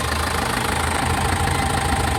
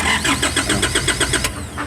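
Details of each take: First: Foton Transvan diesel (4GB1 engine) that stalled after a few km and would not start, idling after the relay was fixed: a steady, even low rumble with no misses or knocks. Normal idle. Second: Foton Transvan with 4GB1 engine that stalled on a drive, no check-engine light and no ECU communication: starter turns it over at an even seven beats a second with no firing; crank no start from a failed ECU relay.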